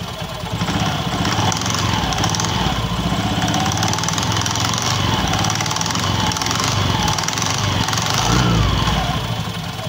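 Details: Honda Beat FI scooter engine running with busy, uneven "kletek" rattle from the rear CVT pulley/clutch riding over the engine note.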